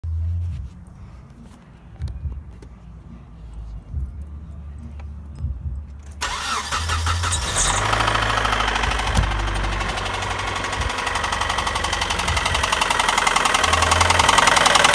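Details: Nissan KA24DE four-cylinder petrol engine starts and runs with a steady knock of three to four beats a second; owner attributes it to flooring it daily; engine knock, cause not confirmed.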